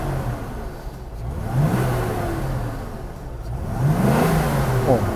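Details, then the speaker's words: 1979 Mercedes C107 350SLC V8, about 140,000 on the clock, after fuel distributor overhaul with new injectors and fuel pump; steady idle around 800 rpm with two clean throttle blips; very stable, healthy. "The RPM hardly drops. And it's very stable."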